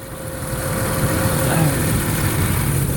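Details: 2006 Ford F-150 4.2 V6 2WD, about 385k miles, CEL with P0174, P0306, P0300: uneven lumpy idle stumbling about three times a second after new coil and wires fixed no spark on #6; cylinder 6 still skipping, suspected clogged injector plus known passenger-side intake leak.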